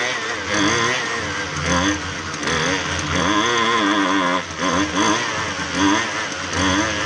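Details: Husqvarna 128LD string trimmer that only ran on half choke, after carb refresh, carb adjustment screws being tweaked; buzzy two-stroke holds a steady run, revs rising and falling as mixture is set, pulling cleanly without stalling.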